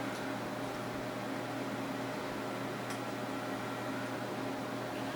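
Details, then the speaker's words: Tape drive loading a tape cartridge before a drive assessment test: steady low hum and fan hiss with a couple of soft mechanical ticks as the tape loads; normal loading. "all right it sounds like the tape just loaded and then once the drive becomes ready"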